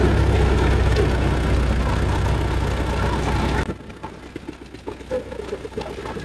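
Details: Suzuki Vitara petrol engine with recurring problem, injector/fuel return issue suspected of low power, after repair: steady even low rumble with no knocks or misses before cutting off; running normally, to be broken in at idle.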